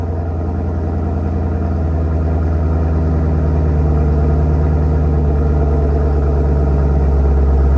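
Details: 2018 Camaro ZL1 V8 before cam and Katech oil pump swap: deep, even idle settling slightly lower after start-up, smooth steady pulse with no knocks or ticks; stock engine sounds normal.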